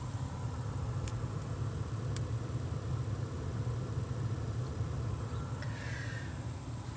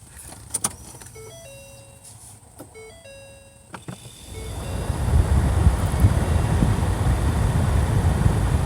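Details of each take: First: 2012 Ford Fusion blower motor chirping and clicking at low fan speed over a low hum; housing checked with nothing rubbing, motor still chirps when removed, so the motor itself is faulty (replacement MM-1091). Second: 2012 Ford Fusion after replacing blower motor (part MM-1091) that chirped and clicked at low speed: after chimes, fan spins up to smooth steady rush of air with no squeal or rattle; normal blower operation.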